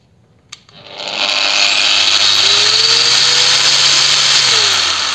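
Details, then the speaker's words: 125 mm angle grinder, speed setting 6, new brush fitted, mic laid nearby; motor spins up gently over about a second, holds an even high whine, winds down smoothly, soft start working. "Ну плавный пуск имеется по звуку вроде бы как присутствует плавный пуск потому что плавно набирает и плавно останавливается"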